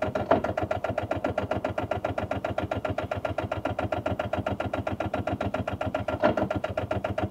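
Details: Rover 800 abandoned for 15 years, last attempt after being dragged to free engine; steady cranking about three to four turns a second, no firing; smoke near turbo, owner thinks it's trying to fire. Cranks but no start.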